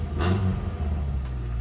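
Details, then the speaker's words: Engine after water-blasting the engine bay and spark plug testing: catches with a brief rough burst, then settles into a steady, even idle with no misfire; running normally. "let's go well it started bit of a rough start but it song that sounds like pretty normal man so"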